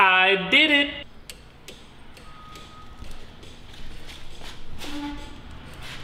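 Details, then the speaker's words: 1967 Datsun 1600 roadster with Miata 1.8L swap, newly wired turn signals (signal stalk to flashers to relays): light, sharp clicks at about two per second in quiet garage; flasher relays cycling normally, though left and right blinkers were wired swapped. "so i ran wires from the turn signal stock into the flashers and from the flashers into the relays let's listen to the sweet sound of clicking relays"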